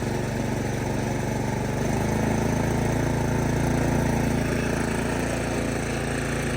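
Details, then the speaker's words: 2019 Craftsman 24-inch snow blower, electric start, throttle at midpoint, choked and primed: runs smooth and even, settling slightly higher after two seconds, no surging or knocking; about half as loud as the 1977 model. "comparison, that maybe only makes about half the sound that old one did."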